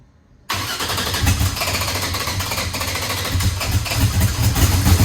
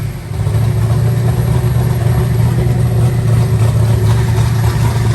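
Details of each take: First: Eagle Talon engine just converted from Pro EFI to Holley and rewired: catches after cranking into an uneven lumpy loping beat, seemingly running on one side only and pouring fuel out of that side; cause not yet found. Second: Eagle Talon rewired and converted from Pro EFI to Holley: a deep, even idle with a smooth, steady rumble and no misses or stumbles, firing on all cylinders.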